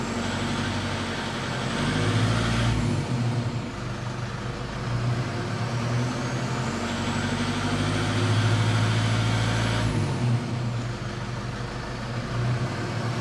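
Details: Toyota Fortuner 2007 3.0 D4D 1KD-FTV diesel under acceleration, pulling in rising and falling surges with a hard, fast rattle from about 1400 rpm up on each climb in revs; not injectors (brand new), source still unknown.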